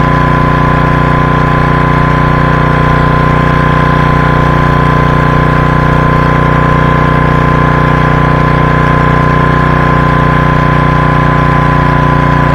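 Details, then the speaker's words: 1985 Briggs & Stratton generator left in the rain for years, producing power. A steady, even drone at constant speed with no misses, surging or knocks; it runs normally until it runs out of fuel after the petcock is closed. "so cool we calling that a success she produced power don't know if you could hear the vacuum she produced power and that was we turned the petcock off and that was it running out of fuel so awesome"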